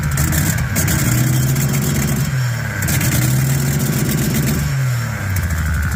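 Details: Engine blipped twice and settling back to idle with a raspy, puffing edge on the exhaust note; exhaust leaks still present after attempted fix.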